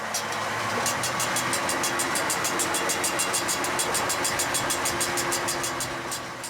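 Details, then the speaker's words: Vehicle on a rough road in Venezuela, engine running quietly: quick, sharp ticking about three times per second from a worn driveshaft universal joint. The driver warns it could fail and cause an accident. "Tiếng ồn đó phát ra từ khớp chữ U. Có vấn đề với một bộ phận. Nếu nó hỏng, chúng ta có thể gặp tai nạn."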